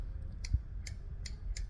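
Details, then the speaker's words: New old stock replacement motor start relay for A2 pinsetter: four crisp sharp clicks in under two seconds, contacts snap cleanly with no sticking; healthy relay click, unlike the old one. "What a satisfying click. Uh we don't have that on the other one [laughter] despite all of our efforts."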